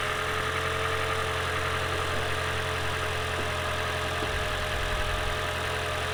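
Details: Lexus CT200h hybrid (Prius-type engine) first start after fitting an oil catch can and cleaning carbon from the EGR and intake manifold, previously suffering cold-start stutter; steady, even idle with smooth low hum, no ticks, knocks or misses; normal idle.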